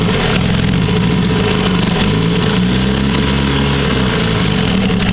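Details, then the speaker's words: 1959 Mercury Kiekhaefer Mark 6A two-cylinder two-stroke outboard, unserviced over 23 years, started after three years on three-year-old fuel, slightly smoky; loud, steady buzz holding even speed without misses — normal running. "oh yeah this stuff nice very nice little smokey huh I'd call that a success even with three-year-old gasps"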